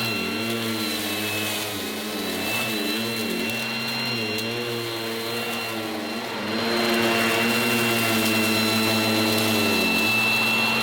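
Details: 1980s mains-powered Goblin Roto handheld vacuum cleaner with rotating agitator brush during demonstration: high, loud motor whine with gently wavering pitch as the brush works; very noisy but running properly, no grinding or rattle.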